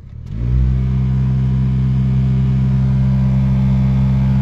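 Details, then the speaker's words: Maruti Suzuki WagonR K-series AC blower fan in the closed cabin: light noise on speed 2, heavy droning hum with throbbing vibration shaking the whole car on speed 4, despite a cleaned filter; blower fan vibration. "ये देखो दो प हल्की आ रही है चार पे full आवाज है ऐसा पूरी गाड़ी वाइब्रेट कर रही है और बहुत भयंकर आवाज आ रही है"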